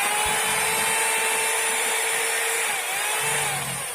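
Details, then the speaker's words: Rotary hammer drill in for service, slipping, before repair, in concrete drilling mode: a steady high motor whine with no hammering and no load. The drill head doesn't turn, rotating only occasionally. "it's been moved to concrete drilling mode, the drill head doesn't go around anymore, so it can rotate only occasionally ."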